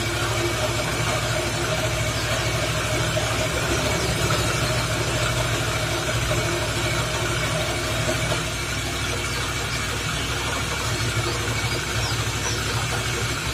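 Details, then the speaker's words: Suzuki Nex FI scooter, weak on hills, engine running with rear wheel spinning: loud, coarse, gritty uneven rumble that mostly fades when the wheel is braked; owner suspects CVT or gearbox. "roda diputar segini aja udah suaranya seperti ini Ini masalahnya adalah CVT kalau nggak lahar sini kalau nggak di bagian gearboxnya"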